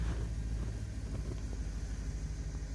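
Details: 1955 Cadillac with a swapped 6.0 LS V8, 4L60E transmission and PSI standalone harness, idling just after start-up. Deep, even rumble with a smooth, steady beat and no misses, knocks or ticks. It holds about 40 psi oil pressure at 198 on the temperature gauge.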